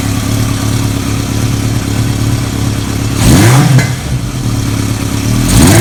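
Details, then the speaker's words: Restored 1980 Kawasaki KZ650, stored nearly 30 years, with Mac aftermarket exhaust, just started: deep steady idle rumble, two quick blips rising cleanly and dropping back; healthy, crisp. "That grunt that Mac pipe has is cool. I rode one of these bikes before with that, and it's just either when you get the real bottom end or you get the top end, it goes, here, rev it up real quick."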